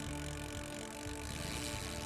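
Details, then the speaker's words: Kawasaki motorcycle engine, kick ratchet noise: a steady whirring rattle that starts right on kick-starting, runs continuously and rises with RPM. Caused by the kick ratchet gear partly engaging the spur gear, from a weak kick return spring or a missing kick shaft washer. "Kick ratchet noise. Listen carefully. This noise starts immediately on kick-starting of the engine"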